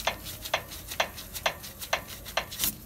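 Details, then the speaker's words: Isuzu Crosswind front suspension, wheel rocked by hand with the noise first heard while driving. Sharp metallic clicks about twice a second show play. The owner first suspected the tie rod end; the ball joint has visible play, with either or both loose and needing replacement. "Yung ball joint dito. So, ayan o, papakita ko sa inyo. Ayan o, diba, may kalug na siya. So, kakalugin ko pa. Ayan. Itong ingay na ito."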